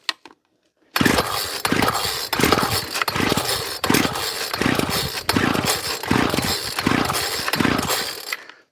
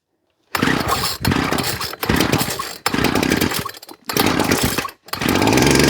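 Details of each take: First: Ryobi Grass Scorpion RCT-2800 two-stroke line trimmer after fuel line and primer bulb replacement: pull-start on choke gives short uneven bursts that die away; hard starting while fuel flushes muck through a possibly gummed carburetor, jets untouched. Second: Ryobi Grass Scorpion RCT-2800 two-stroke line trimmer after new fuel lines and primer bulb, started on choke with the carburettor not yet cleaned: it catches, blips in short bursts with brief dips, then settles into a steady, even buzz and runs normally.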